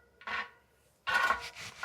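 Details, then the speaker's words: Easton Haven rear mountain bike wheel spun slowly in truing stand: soft scraping rubs once per turn; large lateral rim warp to the right just rubbing the gauge, to be fixed by pulling left spokes. "And okay, we got a pretty big warp going on to say the least. And I'm just barely rubbing it right now."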